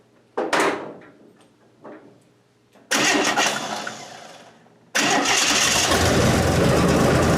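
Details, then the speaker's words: 1927 Hudson run for the first time in about seven years. Two short cranking tries die off, then the third catches and holds a steady, even run. The owner wants to lower the idle next: normal running. "but it lives it is alive wonderful move under its own power"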